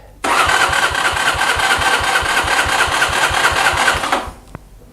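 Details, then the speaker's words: Mash Fifty 50cc with a replacement Lifan engine, first start after install, choke on: about four seconds of starter whir with steady compression pulses and no catch because the fuel tap was closed; runs much better once fuel opened. "May help to open the fuel. Now that sounds much better."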